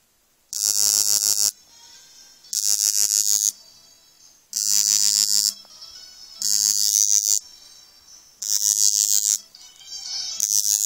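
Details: Brand-new Samsung Galaxy Nexus vibrating: harsh raspy buzz in one-second bursts, far louder than normal, stopping when the bottom of the phone is pressed hard; something loose rattling inside, suspected.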